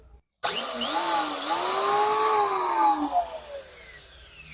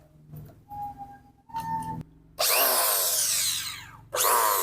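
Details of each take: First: Richu electric planer being repaired for a loud noise at the front; after reassembly and fitting carbon brushes, the motor alone spins up to a clean steady whine and coasts down evenly with no rubbing or grinding, running normally. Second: Richu electric planer loud at the front after reassembly: spins up with rising whine and rough uneven roar; drum bearing found loose, playing up and down, then oiled.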